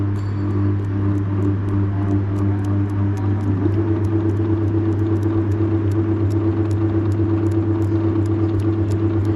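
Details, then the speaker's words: Three-phase induction motor on phase and neutral supply during the spark method for finding winding terminals, two windings' ends shorted: steady mains hum with sharp crackling snaps two or three a second as test leads spark; spark seen, so the joined ends are unlike. "आपको दिखाई दे रही है तो यानी कि जो दो हमने सिरे जोड़े हैं वो कैसे हैं असमान है"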